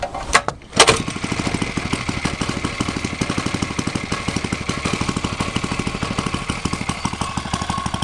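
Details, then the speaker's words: 5-inch gauge petrol-electric locomotive's small petrol engine with generator coupled, trial run, leads not yet attached: brief start-up then a quick, even chuffing beat holding steady; running smoothly and normally. "I've just first fired it up a second ago just to give it a little trial run, and it all seems to work very well."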